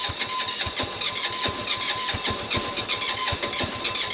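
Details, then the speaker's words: Sears Suburban 6 hp diesel garden tractor in a January blizzard cranking at about four compression beats a second without firing in extreme cold, despite block heater and propane torch warming; starter still frosted. "there we go all this going not quite yet sounds like it's going but it's not"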